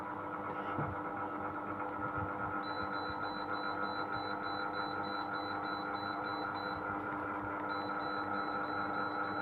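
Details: Sharp AH-A5UCY air conditioner (Gree OEM): steady hum with a thin high whine cutting in and out over the fan; runs noisy, cause not evident.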